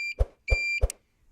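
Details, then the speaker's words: Kuba X Boss motorcycle, ignition on, indicating: three quick shrill beeps about a third of a second apart, each with a relay click; turn signal buzzer working normally, owner finds it annoying and plans to disable it. "bu ses Gerçekten insanın sinirini bozan bir ses ilerleyen videolar zaten bu sesi keseceğim"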